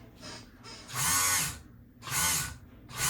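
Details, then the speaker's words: Kenmore 158.523 sewing machine, first power-up on pedal: motor whirs up and down in bursts but needle and mechanism don't move; motor spins without driving the machine. "Okay. So, we hear We hear the motor running, right? But nothing's happening."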